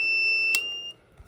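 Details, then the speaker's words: 12V 300W modified sine inverter on a 3S 7P reclaimed lithium-ion pack: steady piercing beep under one second, low-voltage alarm triggering already at about 11.1 volts, after only about a third of pack capacity used. "Alright, as you can hear, the inverter's beeping indicates low voltage, and that's already beeping at 11.12 volts."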